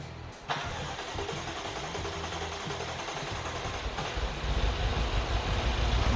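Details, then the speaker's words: 2020 BMW X6 V8 with slow starts, misfires and blue smoke, cranked with injectors unplugged for a compression test: the engine catches and runs anyway, indicating an injector stuck open. "desliga então galera se se vocês observaram aqui que o motor pegou tá a nossa suspeita era já era que o Bic tinha bico trancado aberto"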